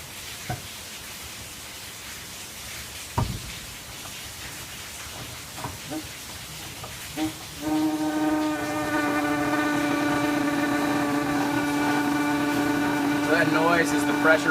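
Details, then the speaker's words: Cocktail keg CO2 system, with the regulator turned down from just under 20 psi (7 psi for stirred drinks, about 28 psi for shaken): clicks from handling, then a steady, slightly singing hiss as gas flows into the keg to carbonate it. Normal operation. "So now we're going to open this valve and let the gas run into the keg."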